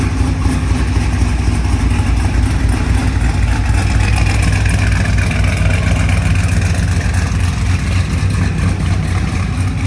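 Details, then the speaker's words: OBS truck after its exhaust was welded up, previously run on open headers: a steady, even low idle rumble with a mellow exhaust note and no misses or knocks. It sounds much better than on open headers; normal, healthy idle. "that sounds much better than open header I agree"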